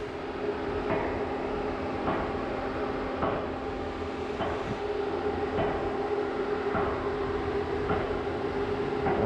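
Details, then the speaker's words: LS-swapped Chevy S10 after shutdown, engine off and warm: newly installed electric cooling fan keeps running about 30 seconds to help cool things down; steady fan hum with faint regular tick. Normal run-on; second fan (set 194°F) never came on. "this one's on as you can hear it's still running it's gonna run for 30 seconds after it uh after the engines off just try to help cool things down"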